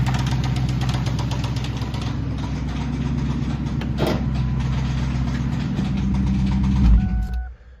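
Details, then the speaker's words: 1999 Ford Mustang GT 4.6 V8 idling with a deep heavy rod knock about four a second before shutting off; long run with the knock has spread metal through the engine, so it will be replaced with another 4.6. "so in the end that motor is done the amount of time that it's been running with a rod knock there's metal throughout the whole engine"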